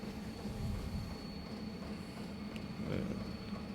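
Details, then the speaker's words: 8 kW portable diesel heater (eBay, panel on extended cable) turned up to top pump rate 5.4, pump ticking faster, steady blower rush with thin whine speeding airflow, holding 78–80 degrees; about 0.24 L diesel per hour; normal running. "yeah so it's getting faster and it speeds up the airflow and you still maintain your 78 80 degrees"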